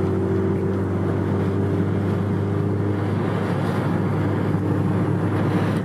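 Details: Nissan GTR at about 85 mph: steady rushing roar with a low drone underneath, unchanged with the window fully shut and worse at higher speed; air is leaking past the window corner seal.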